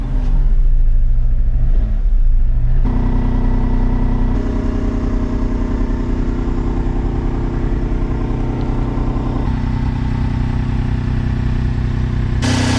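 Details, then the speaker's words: Corsa C (sporty model) on its first start in a will-it-start attempt, low on fuel: it fires and settles into a loud, uneven idle with a shaky low throb and vibration. Cause unknown. "got a bit of a vibration going on it"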